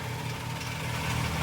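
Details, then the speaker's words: Ford Capri XR2 turbo project back running after blown head gasket repair, timing not yet checked: steady even low purr at idle, no misses or shake; engine running healthy. "And go from there, but look at that, it just, you can just hear it, just purr now, so that's good."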